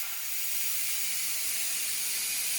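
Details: Instant Pot after cooking brown rice: strong, steady high hiss of steam as the release valve is opened, normal pressure release lasting one to two minutes.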